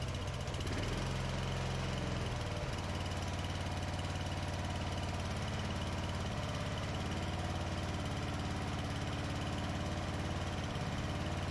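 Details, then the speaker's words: 2004 Craftsman 30-inch mid-engine rider mower built by Murray, cold start after carburetor adjustment; small single-cylinder engine catches and settles into a steady, even idle with no knocks or misses: normal idle. "all right so round's good actually sounds good"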